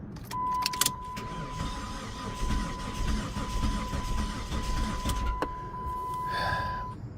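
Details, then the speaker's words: 2005 Gen One PT Cruiser towed in from another shop, jump box connected, warning tone sounding: the starter spins the engine loosely and unevenly but it never starts. It feels like no compression but is not locked up; after a claimed oil change the dipstick suggests no oil. "I mean, I got It's feel like it ain't got no compression. It's not locked up, though."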